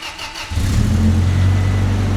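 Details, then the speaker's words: Truck engine running with a vacuum hose missing, after new injectors were fitted: starter crank, then a heavy, slightly uneven rough idle; vacuum leak through the missing hose. "We didn't think it was that important. We didn't think it's that important, but turns out if you want your truck to sound like this,"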